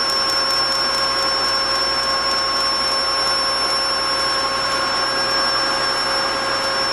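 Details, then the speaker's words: DIY single-quadrant IGBT PWM controller switching at 5 kHz, driving a 24 V series DC motor on 12 V for a go-kart project: constant high-pitched whine from controller and motor over a faint motor hum; audible PWM switching whine. "there is an awful line coming from both the controller and from the motor that's because I'm switching at 5 kilohertz which is a very good frequency for humans to hear"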